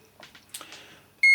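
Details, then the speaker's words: DeWalt angle grinder with a faulty switch, tested with a continuity tester across the switch terminals: a single short high beep shows the circuit closes when the switch is bypassed. Nothing sounds through the pressed switch. "So if I touch that on there, you can hear that it's bleeping obviously because I'm bypassing the switch."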